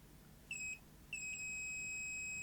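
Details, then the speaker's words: Grundig SVR4004 VCR: with the 5 V regulator and wire desoldered, the continuity tester still beeps, one short then one long steady tone; the rail remains shorted and a capacitor is suspected of having gone short. "and the wire going off to Heaven only knows where desoldered we still have a short circuit what the capacitor's gone short"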